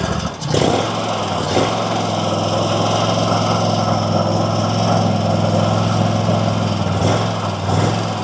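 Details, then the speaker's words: RedMax zero-turn mower Kawasaki twin after intake gasket replacement: idle slowly rises and falls with the odd pop or backfire, smoothing out on choke. Owner suspects the carburetor needs tuning; surging idle. "So you see how it's surging now and kind of backfiring. If I pull this, if I give it the choke, it idles up and runs fine. Nothing else happens. So I'm wondering if that carburetor needs to be tuned."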